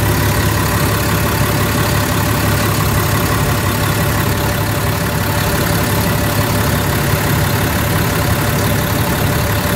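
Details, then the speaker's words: Caterpillar C7 diesel RV engine at idle just after water pump replacement and coolant refill: steady, even deep hum with no knocks or misses; temperature settles at 188–190 instead of the earlier 225; repair successful. "it sounds good cuz you know water get from nowhere and it's a good sign"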